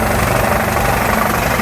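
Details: Shop air compressor nearing cut-out at about 130 psi (pops off around 135): rapid, steady pumping beat over a constant drone, unlaboured near full pressure. The compressor sounds healthy.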